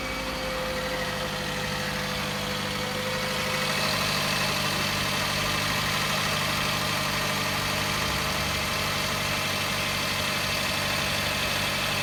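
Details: Toyota Camry, cold start: steady idle with a light, fairly even ticking knock about three times a second; cause not identified.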